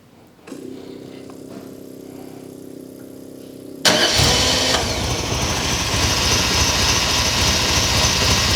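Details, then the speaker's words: Ferrari 308 GTS V8, fully rebuilt and reinstalled, first start in about four years: a few seconds of cranking, then it fires and settles into an even, smooth idle with no knocks or misses. Oil pressure is good, and the timing may need slight advancing. "yeah so we've got oil pressure now you can hear it gurgling around you're good pressure no leaks underneath well that's not bad running and idly like that after four years"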